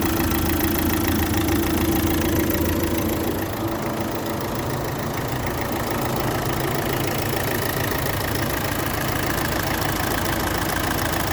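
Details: Opel Astra J 1.7 CDTI 96 kW diesel at 337,500 km idles with a light, steady clicking through normal diesel clatter; owner also notes oil leaking on the turbo-to-intercooler pipe and the throttle body pipe.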